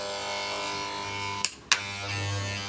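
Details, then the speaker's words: FYC hair trimmer on AC power after its blade was tightened and the teeth reshaped: an even high buzz, briefly cut off and restarted, with no rattle. The loud noise is gone; the trimmer runs normally. "आवाज़ ख़त्म हो गई दोस्तों।"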